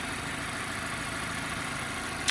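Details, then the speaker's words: 2016 Mazda 6 auction rebuild, 2.5 L four-cylinder with conventional automatic, recently driven 100 miles, idling with the hood open: smooth, even hum with no knocks, ticks, misses or vibrations; engine sounds healthy. "I'll let you guys take a listen. Nice and smooth running engine, no odd noises or vibrations."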